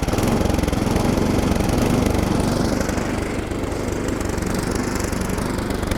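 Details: Older Craftsman SnowKing single-cylinder snowblower engine revived after oil drain, new spark plug, Sea Foam and WD-40 treatment: steady low even thump, running on its own without dying; normal running.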